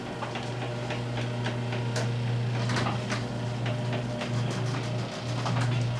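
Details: Garage door opener after lubrication, roller and hinge fixes: even low motor hum with light scattered roller ticks, no squeals or rattles; door runs quietly.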